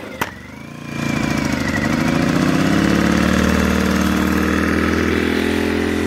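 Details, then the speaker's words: Sportsman GEN1000i inverter generator, cold start with the economy throttle off and the phone on top of the unit. After a click the engine catches within a second and holds a smooth, steady drone while warming with the choke slightly on. The cold start is healthy. "Okay, so choke's still on slightly. Go ahead and give it a minute to warm up."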